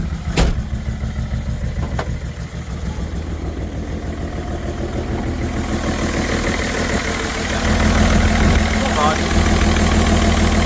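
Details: BMW 330d M57 diesel, down on a couple of cylinders with blow-by, oil in the intake, starting to run away, smoking: cranks, catches, settles into a lumpy uneven beat growing louder and harsher; rough running from failed turbo and melted pistons.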